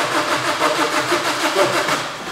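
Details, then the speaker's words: Suzuki cranks steadily with a pulsing chuff from the intake but never starts; a compression reading of about 14–18 bar is taken, a timing-chain problem is suspected, and a valve not closing is suspected, not confirmed. "But it hits that ... you can hear it, inside the intake ... It sounds like it doesn't close the valve."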